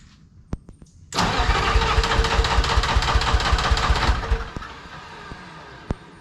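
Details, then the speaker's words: Lull telehandler Detroit Diesel 3-53 two-stroke, cold start at about 60°F with ether despite new starter: long cranking, catches, rough uneven chuffing with a big smoke cloud; hard cold start, owner suspects worn compression rings from years of ether. "Well, I would have liked it to have started better than that. Look at that friggin' cloud."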